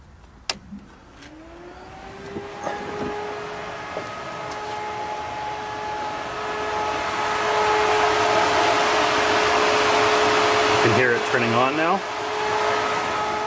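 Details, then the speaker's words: Coolant very cold, with the radiator fan forced on by a newly added manual switch that fakes a hot coolant signal to the computer. The fan hum rises in pitch, then settles to a steady, even drone. Normal radiator fan operation. "so again I've forced the radiator fan to turn on by telling the computer you have a really hot coolant temperature even though I don't"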